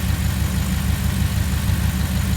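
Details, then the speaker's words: 2016 Ram 1500 with 5.7 L Hemi V8 after spark plug replacement and oil change: low, steady idle burble with an even beat and no misfire or ticking; running smooth. "Let's go ahead and grab the keys and start it up, see what it sounds like. Seems to be running smooth here."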